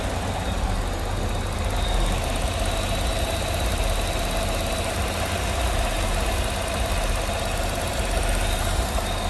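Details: Idle after the noisy vacuum pump, which sounded like bad lifters, was removed, holes plugged and brake booster teed into the intake; even steady idle, low smooth hum, no tapping; normal idle after repair.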